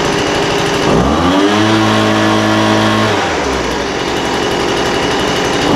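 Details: Poulan Pro 200 mph two-stroke leaf blower, received as a non-runner, after carburetor adjustment: idle mixture leaned out from too rich and top end tuned. Steady buzz climbs smoothly to a high even pitch for about two seconds, then drops back to a clean idle; running normally.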